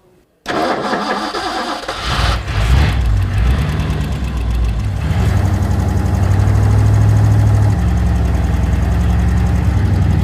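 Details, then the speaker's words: 1979 Ford Ranchero small-block V8 with carburetor: engine starts and runs lumpy, rpm rising then falling, would not idle; vacuum leak found via spray test at rear of carburetor, base gasket suspected, capped vacuum hose. "Engine wouldn't idle. Every time I sprayed the back corner of the carburetor, it would stay running."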